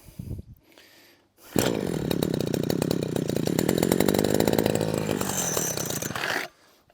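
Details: Husqvarna 123HD60 hedge trimmer, long unused, being primed: small two-stroke buzzing in uneven, surging bursts that never settle; it is starved of fuel, with the diaphragm suspected.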